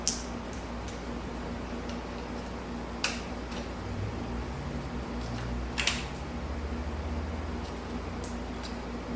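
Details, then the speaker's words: Abandoned 1984 Honda Sabre VF700S: three sharp single clicks about three seconds apart and no cranking; no power at the key switch and blown fuses found; the engine is suspected to be locked. "I hear the starter clicking. We don't have any power up here at the key switch."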